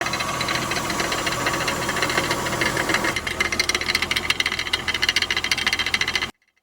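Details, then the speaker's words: 2001 Acura MDX engine running with a loose metallic rattle clattering over it, caused by a bad crankshaft pulley/harmonic balancer, fixed by replacement. "if you're wondering what all that rattling is it's a bad harmonic balancer"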